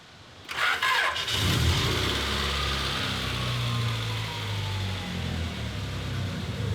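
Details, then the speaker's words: 1993 Honda Prelude, 5-speed manual, 223,000 miles, first start after sitting two years, jump-started: fires and settles into a steady idle with no knocks or misses, but slightly high rpm; possible causes suspected: clogged EGR, bad plugs, bad fuel. "I like the sound of that. That sounds really good. RPMs are kind of high."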